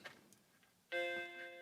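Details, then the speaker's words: Macintosh Classic after recapping the motherboard, reset pressed: after a quiet pause one clean startup bong rings out and fades; normal boot. The analog-board speaker faces down, so it sounds quiet. "There's that bong. Sounds good to me."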